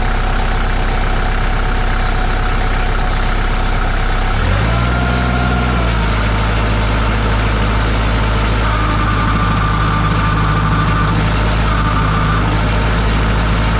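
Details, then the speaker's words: 2002 Kubota MX5000 DT tractor with all-hydraulic steering and loader: steady diesel idle with a high, thin screaming whine shifting with load. The pump isn't building pressure, so the steering just spins; the cause was a clogged hydraulic filter. "so when the pump starts to make that noise it's not circulating hydraulic fluid it's not pumping up pressure so you can't steer the steering wheel just spins"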